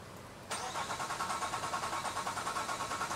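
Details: 2005 Nissan Quest 3.5L that already had a new fuel pump, ECM, cam sensors, coils and plugs. Even cranking a bit over three turns per second that never catches. Crank, no start: cam and crank timing out of alignment, so nothing fires.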